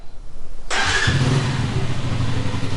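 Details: Keeway Superlight 200 after a rebuild, restarted after running about 10 minutes to charge a flat battery. The starter whirs briefly, then it catches at once and settles into a steady, even idle: clean first-time start.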